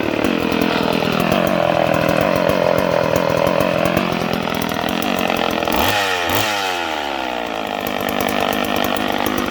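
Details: Homelite 150 two-stroke chainsaw: high scream holds, then sags and wavers midway before picking back up; speed surging, owner suspects worn brass thrust bearings/sleeves.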